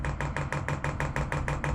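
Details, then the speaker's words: Chinese diesel air heater on an overland trailer, priming: crisp, evenly spaced dosing-pump ticks about four per second, steady, getting quieter as diesel fills the line; pump angle to be adjusted later; normal fuel pump priming. "the other tone changing as the diesel comes in see how much quieter that's getting now"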